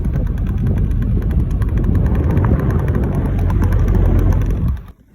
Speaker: Entonces, abrí la tapa y para mi sorpresa era la tirita esta de FOM. No sé cómo se llama esta pieza, pero esto era lo que estaba pegando en el abanico.